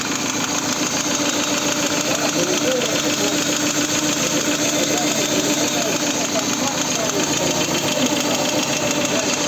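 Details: Hot VAZ 16-valve engine idling with a rapid, regular metallic tapping (about 400 per minute) and low hot oil pressure (0.9 idle, 1.5 at 2000, 2.2 at 3000, 3.0 at 4000) despite new camshafts, oil pump, pickup, all bearings and lifters; cause unknown.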